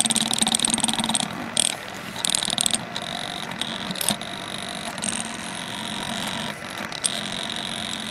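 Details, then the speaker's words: TK-Akula device at about 3 V input, with the retaining spring removed from the ferrite core: irregular rattly chatter with on-off high squeals as the loose core halves vibrate; separating the halves raises the oscillation frequency. "so it's definitely chattering right now if i separate the halves a little bit you can see that the frequency of that oscillation goes up"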